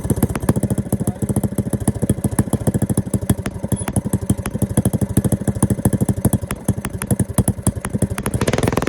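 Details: Small single-cylinder go-kart engine after a carburetor rebuild with stage one kit and rejetting: quick, even thumping beats at a steady idle, picking up slightly near the end; runs clean.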